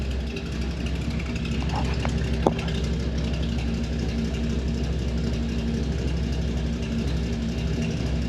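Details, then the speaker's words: 1964 Chevrolet Impala SS 409 V8 fired right up: steady, low, even idle burble with no lifter noise or tapping; quiet, normal idle. "Fire it up. Fired right up. And she's quiet. No lifter noise, no tapping."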